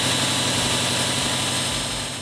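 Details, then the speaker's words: 2018 Subaru WRX STI boxer after new harmonic balancer and belts: engine idles smoothly and evenly with steady engine-bay hum, squeal gone. "And then the last step is to turn it on and test to make sure the squeal is gone."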